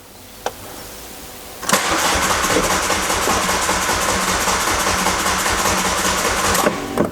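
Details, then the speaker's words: Diesel car on a timing belt and water pump job. The starter churns steadily for about five seconds at a regular cranking rhythm and stops without catching; crank no start. Cause unconfirmed, though air bubbles were later seen in the diesel fuel circuit. "Je crois qu'elle va pas vouloir démarrer."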